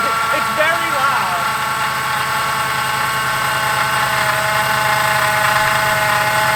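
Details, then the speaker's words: Ford Crown Victoria/Grand Marquis (2003–2011) running at idle before repair: steady whirring drone with a rough bearing edge from the serpentine belt drive; worn idler pulley bearing, to be replaced. "And to diagnose it simply, what you do is you start the car, you hear the noise, and then what you do is you take your belt off and turn the car on again. And if the noise goes away, you know it is an issue in this drive belt area."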